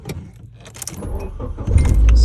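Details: Nissan 240SX after no-crank no-start troubleshooting pointed to the ignition switch: keys rattle, then the engine catches at about 1.5 seconds and settles into a steady low rumble; it starts normally.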